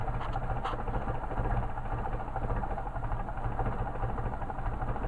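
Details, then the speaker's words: Mercedes 190SL on Solex 44PHH carburetors, re-test: idle deliberately dropped to about 300–400 rpm versus the normal 500–600, giving a very slow, lumpy rumble barely turning over and close to stalling; idle set too low. "Yep, got it too low. Yeah, so it's about 300-400. It'll die."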